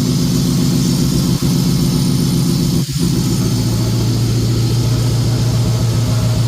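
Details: Ford F150 5.4L 2V turbo V8, just completed with a new LS-style turbo setup, not yet tuned, with good oil and fuel pressure; deep steady rumble settling to an even idle with no knocks or misses. Normal idle.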